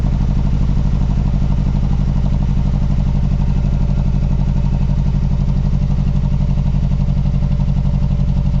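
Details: Mazdaspeed3 (MPS), cold start: lumpy, uneven low thump at idle, about four beats a second, stumbling now and then; rough idle that looks like a misfire.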